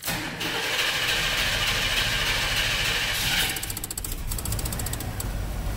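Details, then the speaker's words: 1997 work truck after replacing the bad number two fuel injector that left a cylinder lean and misfiring: cranks and catches quickly, then settles into a steady, even idle with no skip; misfire gone. "uh oh I think it sounds way better let's go listen to that tailpipe yeah took care of it I'd say our misfire is completely gone"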